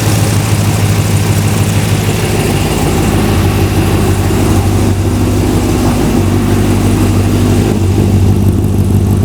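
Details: Ultima RS kit car with a 6.2 L LS3 V8, first start ever, recorded in a closed garage: it starts on the first turn of the key and settles into a steady, low idle burble with even firing and no knocks or ticks. Normal idle.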